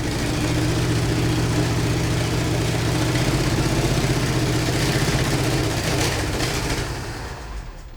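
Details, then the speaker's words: 1968 Chevy C20 pickup with a 307 V8, parked 30 years in a barn, with new battery, plugs and fresh fuel, run in gear trying to move; uneven sputtering and ragged firing, then a backfire as it stumbles and dies, likely low on fuel. "Ugh, come on. - Did it backfire? - Yeah, it- - Backfired? - Backfired, yep."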